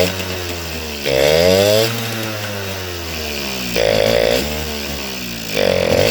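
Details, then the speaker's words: Suzuki RC 100 two-stroke motorcycle started on choke; it won't start without it. Ragged idle, each throttle blip climbs briefly then bogs and sags back instead of revving out, and it dies off throttle; blocked pilot jet, carburetor passages worn loose. "Oke, harus dicuk dulu, kalau tidak dicuk tidak bisa nyala karena motor ini tidak normal."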